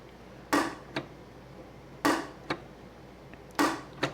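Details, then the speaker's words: Ironhead Sportster XLCH show bike clutch, with a cut-away primary cover: pairs of sharp metallic clunks about every 1.5 s as the release is worked, as the release ramp catches; clutch release ramp hitch. "okay here's the uh releasing ramp that's causing the problem and and uh what's nice about this is I could duplicate it outside the bike"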